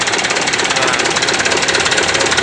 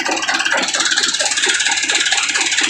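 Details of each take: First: Mitsubishi Canter PS125 diesel truck after advancing injection pump timing and adding fuel load: sharp, rapid, even clatter with a hard pounding edge at idle and the engine shaking somewhat; fine at high rpm. Diesel knock from advanced timing. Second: Mitsubishi Canter PS125 HD diesel truck after adjusting injection pump timing and fuel load: idle clatter with a knocking beat, then repeated clean rev-ups rising and falling without stumble; moderate smoke, setting sounds right.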